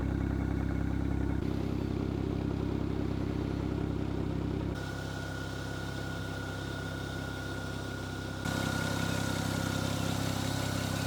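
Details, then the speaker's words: Rebuilt N54 engine in fire-damaged BMW 335i E92 idling steadily and evenly with a smooth low rumble, no stumble or miss; earlier bad misfire-like running was traced to an unplugged vacuum line to the exhaust manifold flap, now reconnected. "runs super good so as we can see the car runs perfect"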